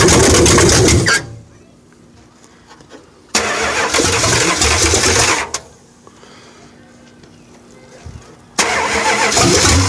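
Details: 1968 Dodge Charger R/T 440 first start after rebuild, open exhaust with pipes missing below the manifolds, idle raised and timing adjusted, cam break-in pending: three loud raw revs dropping back to a steady idle; runs cleanly and healthy.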